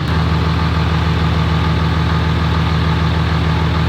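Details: Diesel truck with a Mercedes G56 manual gearbox and South Bend dual-disc clutch on factory ATF, before changing to Hot Shot's Secret Diamond G56 fluid. Loud, steady idle with a constant low clattering rattle: noisy gearbox, gear rattle at idle.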